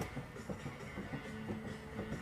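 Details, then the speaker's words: 1995 C4 Corvette with rear raised: dull uneven clunks as the wheel is rocked, showing slack from a bad rear wheel bearing. Roar heard from the rear while driving; the removed bearing hub barely turns. "Alright, well, recently been hearing a roar in the back somewhere. I was hoping it wasn't the rear end because it does have a little slack in it. But it turns out that I probably have a wheel bearing."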